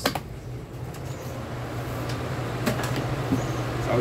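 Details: Mallory fan after disassembly, lubrication and reassembly of blade and washers, tested strong: steady low hum, smooth even whir, few light knocks; fan running properly after repair.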